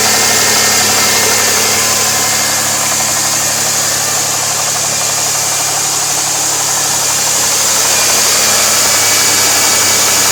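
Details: 2002 Firebird 3.8 at idle: a constant high hiss over a fairly even engine beat, pointing to a vacuum leak.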